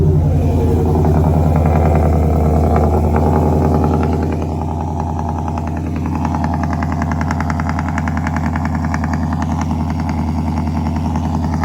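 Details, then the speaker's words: Ford 5.0 V8 truck after fitting a Boss 302 intake manifold, new tune and eight reman direct injectors to fix a misfire, first start: even idle with the light 5.0 tick, no knocking or misses; normal idle. "She starts, idles fine, sounds perfect, has that light tap of a 5.0, but there's no knocking, nothing like that that people complain about."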